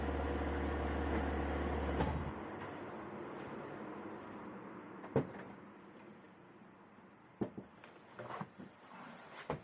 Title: M4 competition rear right clicking sound